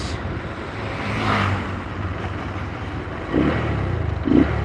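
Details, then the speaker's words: Yamaha Verza fuel-injected motorcycle with no air filter: revs rise and sag unevenly with a dip at certain RPM; imperfect air-fuel mixture, running without the filter strongly affects it. "nah di RPM sekian itu terasa kayak ada down-nya ini nggak pakai filter ya guys"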